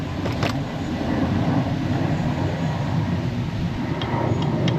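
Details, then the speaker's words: Early-2000s Johnson 60hp outboard after water pump replacement, running in reverse: deep even rumble with a steady low drone and no clunks or misses; it sounds healthy. "Yep, you're in reverse. Perfect."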